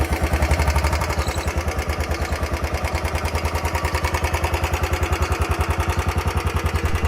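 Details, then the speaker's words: 2019 Royal Enfield Bullet 350 single-cylinder at about 3137 km: steady idle thump, three to four beats a second, with a light tick on each beat; ticking traced to low engine oil, service centre added oil. "But still इसमें से एक यड नॉज आने लगी थी engine से यहां से कुछ cut cut cut cut cut cut ठक ठक ठक ठक की आवाज आ रही थी कुछ इस तरह की आप सुन सकते हैं वीडियो में"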